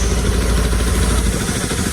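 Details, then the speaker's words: Bajaj Pulsar RS200/NS200 after a timing chain repair; the chain had jumped, leaving no compression, but the valves did not hit the piston. First start shows a quick, even single-cylinder idle with light mechanical clatter and no heavy knock. Normal idle. "Ahí está, amigos, ya la arrancamos. [Música] Pues bueno, amigos, ya encendió la moto."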